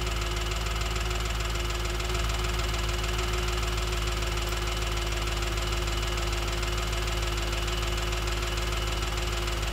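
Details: Audi B7 S4 at idle, checked with a stethoscope: a loud, sharp, even tick at about 200 per minute, loudest at the rear of bank 1 near the cam adjusters and the cylinder 4 valvetrain. Source not yet pinned down.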